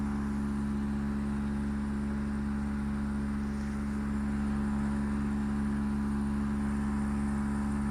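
A steady loud hum with a strong low drone and a fast even pulsing throughout; far noisier than a healthy unit should run.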